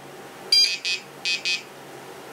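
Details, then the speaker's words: XGuard RC XGlow Pro glow ignitor for a nitro motor, start button pushed with ground connected but the igniter not contacting the motor. Four sharp high beeps in two quick pairs and LEDs signal an open-circuit error, and it won't ignite. "okay notice what the system does okay basically going error error right it's not working look at the leds here"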